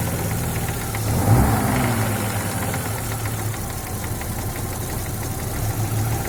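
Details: Audi 2.3 NG engine, warm idle after reaching 70-80°C, smooth when cold. Dull, uneven knock about three per second that gets louder as it warms and stops at 1400-1500 rpm. Loudest on the right side of the oil pan near cylinder 4. Pulling cylinder 4's plug cap stops it for about 4 s. No play found at the connecting rod ends. Cause unconfirmed.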